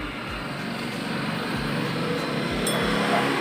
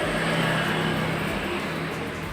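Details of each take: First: 2017 Honda Scoopy CVT with the block opened: a rough grinding rumble and dull thump about four times a second when the wheel turns. The gearbox ran smooth alone, and the noise returned with the rear pulley fitted, pointing to worn rear pulley bearings. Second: 2017 Honda Scoopy scooter with rough grinding noise when the rear wheel is turned; block opened, final drive (gardan) turned by hand sounds smooth with a steady whir and no grinding, so the fault is in the rear pulley, not the final drive.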